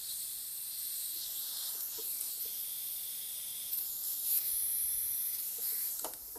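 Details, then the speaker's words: 2005 Honda Accord AC condenser, low-pressure side fed compressed air at about 40 PSI: a faint, steady hiss of escaping air. The condenser has a small hole, won't hold pressure and needs replacing; this is the likely cause of the AC not working. "Oh, I hear something. It's No, it can. It's not even holding. You hear it? Look at that. We have a small hole."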